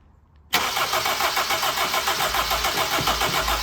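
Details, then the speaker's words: Mk1 Honda CR-V that had sat a while, after cleaning the calcium-crusted distributor and burnt rotor arm: starter cranks steadily at three or four beats a second but never fires, no spark; power reaches the coil, cap and rotor to be replaced. "this one wasn't running so there's a reason for that it doesn't run it's got no spark"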